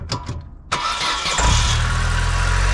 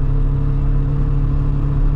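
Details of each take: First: Corsa B GLS 1.4Si four-cylinder petrol after a new coil pack fitted to cure a three-cylinder misfire; short crank, catches straight away, runs smoothly with throttle blips, all four cylinders firing. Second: Corsa B GLS 1.4Si four-cylinder petrol on a cold day, driving uphill under load; rough uneven lumpy rumble running on three cylinders, owner hopes a failed coil pack is the cause.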